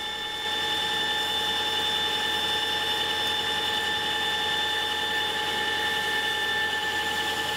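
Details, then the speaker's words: Big lathe deep-hole drilling hard steel with a tungsten carbide-tipped drill, coolant fed through the drill to its tip, about 8 minutes per hole. Steady even cutting whine with coolant hiss; running normally before a support roller bearing failure. "And the coolant goes inside of the drill, so it comes out on the tip of the drill, and it's pretty important on long holes on the hard material like this. And yeah, it seems to be working really well."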